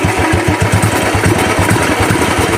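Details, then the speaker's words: 2010 Royal Enfield Bullet Electra started after two years unused, self-start already faulty: big single thumps unevenly with dropped beats and won't rev when throttle opens; misfiring, engine will not rev. "Raise ആവുന്നില്ല, വണ്ടി ഒരു missing പോലെ കാണിക്കുകയാണ്."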